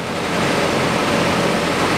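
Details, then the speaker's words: 2000 Toyota Noah, 3S-FE 2.0L petrol, automatic, 4WD, 289,000 km: after timing belt snapped and was replaced (ContiTech CT-998) with front crankshaft seal, engine starts and idles steadily and evenly, no knocks or misses; non-interference engine, valves not bent. "вот и все двигатель завелся чем хорошего двигатель при обрыве ремня не гнет клапана"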